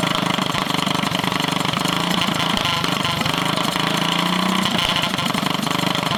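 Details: Drift go-kart small single with stage 1 kit, first start after sitting over a year: idles raggedly, revs drift up and down; owner suspects it just needs running; unstable idle.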